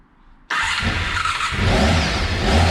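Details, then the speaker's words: Honda RC30 VFR750R recommissioned after years standing, carbs freed, cold on first start with some choke: catches abruptly into a busy, slightly high steady idle; owner suspects throttle stop screw unset, running a bit fast. "Bit of choke, not sure on the throttle screw yet, might be running a bit fast."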